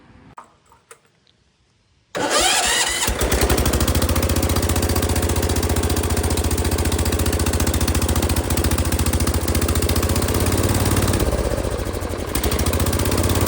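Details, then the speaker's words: Circa-1974 John Deere 140 garden tractor, single-cylinder, after revival; cranks briefly, fires and settles into fast, even putter with no misses or knocks; healthy. "This thing runs pretty good now. It drives good."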